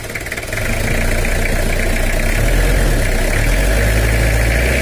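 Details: Toyota Kijang LGX diesel idling with a dull, steady drum-like "dung dung" clatter, about four beats a second, inside the engine; also leaking radiator, oil leak and low power; valve clatter from incorrect valve clearance.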